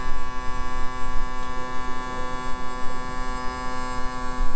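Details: 2000 Yamaha 60hp outboard tilt/trim after topping up with ATF+4; even steady electric hum at constant pitch, no straining or dropouts, not leaking; trim pump motor running normally.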